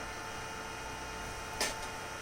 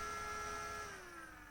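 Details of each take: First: Synology DS118 NAS with a newly fitted 12 V three-wire fan, in full-speed mode: loud steady airy whoosh with a constant hum, no ticking or grinding, then spin-down; normal fan at full speed. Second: Synology DS118 NAS, powered on: small fan with steady whine and faint buzzy rattle, pitch falling as it spins down; moves enough air for cooling but rattles and is noisy.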